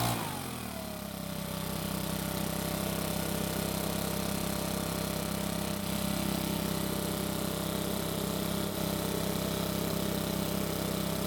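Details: Makita small four-stroke leaf blower, cold start: catches at once and settles to a steady, even run with fan whine rising then holding; a bit cold natured, runs well once warm.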